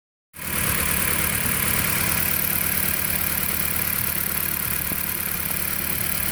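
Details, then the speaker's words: 2008 Dodge Caliber petrol engine at idle: uneven, stumbling low-end pulse of a misfire, engine and downpipe to catalytic converter shaking, runs very roughly; the spark plugs are new and the coils are next to be replaced. "like the car is misfiring. And it looks like the cat converter looks like it's shaking."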